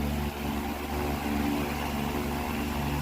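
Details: Electric fan after replacing the faulty running capacitor, back cover off, running at speed 3; steady even hum and airy whoosh, no rubbing, rattle or wavering. Normal running.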